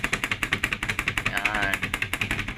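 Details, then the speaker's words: Mitsubishi L300 van on rough, bumpy road: fast, sharp rattling about ten knocks a second from the loose sliding door/window, whose side and top fittings are worn away so it moves over bumps. "lalo na agag yung mga merong mga lubak-lubak Ganito talaga yung tunog oh"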